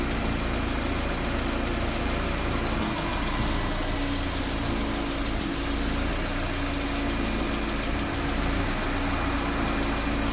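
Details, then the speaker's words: Honda Civic EF sedan after timing belt work, shaking at idle with an uneven, lumpy pulse. Owner suspects it is running out of fuel or running lean, with no gas smell; cause unconfirmed. Rough idle. "right now she doesn't like sitting idle can't blame I don't like it's sitting idle"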